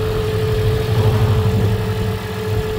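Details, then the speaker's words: 2012 Toyota Prius cold start after about 6 hours parked, after spark plug replacement: steady, even idle with low rumble and faint hum, no more knocking or shaking; normal idle. "Escuchen, ya no hace el tronido, el shake, ya no lo hace."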